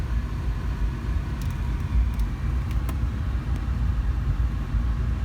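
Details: 2005 GMC Envoy 4.2L with code P0480 and an electronically controlled viscous fan clutch, no electric fans, A/C on, ECM commanding the fan: steady, even low roar with the fan pulling air, no knocks or rattles; fan clutch engaging properly.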